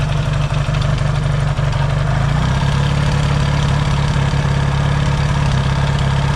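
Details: Yamaha XS650 twin, engine reinstalled after fixing its oil-burning problem, now pretty warm, points still to be properly adjusted: steady even low thrum with relaxed regular beat, no misses or mechanical noise; no smoke, healthy idle.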